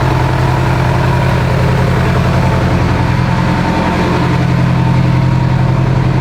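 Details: Evo 8 project being built for 800 whp, early run after coolant top-off, oil pressure, AFRs and fuel pressure good; strong, firm idle with an even, deep pulse, no ticking or knocking, healthy.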